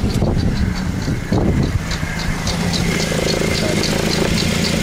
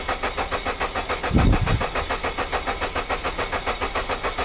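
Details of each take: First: Suzuki with a misfire that persisted after the owner replaced all coils and plugs: uneven idle with a lumpy beat and light ticking. Unplugging coils singled out cylinder 3 as the low-compression cylinder. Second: Suzuki with a misfire (coils and plugs already replaced): the starter cranks the engine with an even, steady beat of about 3.5 pulses a second, none weak. The earlier suspected cylinder 3 compression problem is gone; compression sounds balanced.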